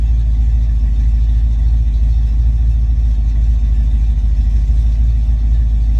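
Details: Ford Mustang Foxbody with rebuilt, tested A9L mass air ECU: deep, steady V8 rumble, even pulses, no misses; after high idle, settled to closed-loop idle around 800-900 rpm; normal idle.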